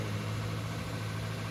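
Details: 2007 Lexus LX470 V8 idling after timing belt kit, water pump, thermostat and seal replacement, left running to let the thermostat open: even, steady low rumble with no knocks, ticks or misses; healthy idle.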